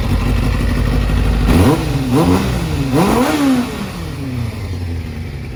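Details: 1997 Kawasaki ZZR600 (ZX6) after carburettor rebuild and balancing, not fully warmed up: twin quick blips climb and fall cleanly with no stumble or pop, then settle to a smooth steady idle; fueling healthy.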